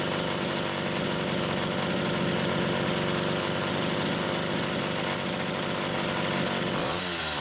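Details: Homelite Super XL chainsaw test-running carburetor number 2 after its Welch plug was replaced; both mixture screws had been over 3.5 turns open. A steady, even buzz with no surging or bogging, then revs drop away at the end. The carb runs clean; judged good.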